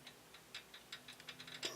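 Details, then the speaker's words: Protomaker 3D printer Z-axis linear bearing with nothing mounted, rocked side to side on its rod: light, uneven rattling clicks showing very loose fit and excessive wobble. "hear it almost rattling as I move it side to side here. Obviously it's going to slide up and down very easy because there's nothing on it."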